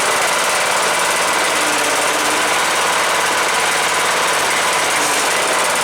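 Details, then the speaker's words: Cub Cadet LTX 1045 Kohler Courage single-cylinder engine after counterbalance repair for a knock (ran low on oil) and fresh oil: steady fast even beat with no heavy knock underneath; normal running. "Cool, it was just the counterbalance thing I was screwed up. As long as those screws stays in."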